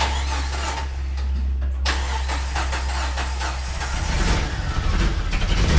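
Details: Jeep Wrangler 4.0L with a dead miss on two cylinders: lumpy uneven idle with a steady low thump and stumbles, growing rougher; engine misfire traced to head gasket failure.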